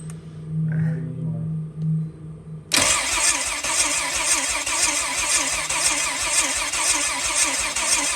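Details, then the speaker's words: Rear-wheel-drive Honda Civic with starter binding issues, cranking on a jump box: starter drags engine slowly, a few strokes per second, voltage sagging from 12 to about 9–9.5 V, cranking speed around 120 rpm, improved from 85–90; slow cranking from voltage drop. "What's 120 and 12 volts is still down to about 9.5, 9.0. So it still drags it down some, but you can just hear it so much happier."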